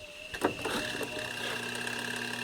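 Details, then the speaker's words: Two-tub washing machine spin side: with wet clothes loaded, the timer knob clicks, then the spin motor gives a steady electrical hum but never turns or starts, and it overheats if left powered for a few minutes. "ven escucha el el timer y se oye un zumbido pero el motor no arranca eh el motor no está girando ven el motor no está girando"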